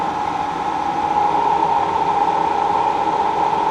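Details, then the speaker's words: K&T milling machine after move; motor and hydraulic pump run with steady hum, mid-pitched tone and whoosh, but the X-axis table power feed does not engage when lever is engaged; cause unknown, hydraulic testing planned. "you can hear the motor it's it's pumping and but it's just not it's not working correctly"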